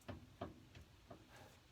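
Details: 2011 Ford Ranger, steering wanders on uneven pavement, wheel raised, engine off: three or four dull clunks as the wheel is pushed and rocked; not the tie rod or the previously replaced wheel bearings, but a worn upper ball joint.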